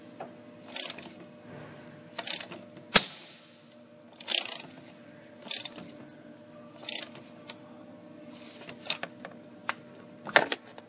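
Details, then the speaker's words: Ford 4.6L/5.4L 3-valve engine, broken spark plug extraction with Lisle tool: sharp, irregular cracks and snaps every second or two as the top of the plug porcelain breaks, which is expected during extraction. "first you're going to hear a lot of cracking of the porcelain sound really bad but just the top part of the porcelain breaking"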